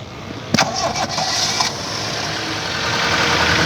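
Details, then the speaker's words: Toyota Indus Corolla (1998) engine with noise complaint, after closing PCV valve: catches after short crank, smooth even idle with no tapping or rattle; noise gone, PCV valve still to be replaced. "माशाल्लाह से वो आवाज बिल्कुल इसकी गायब हो चुकी है बेहतरीन हो चुकी है"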